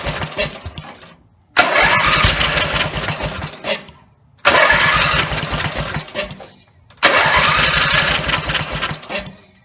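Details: Briggs & Stratton 17HP engine after full rebuild (carb rebuilt, plugs, sump, oil slinger, valves reseated, gaskets): three attempts, each catches, roars briefly at high revs only with throttle wide open, then fades and dies within seconds. Owner suspects throttle linkage lever not on its screw.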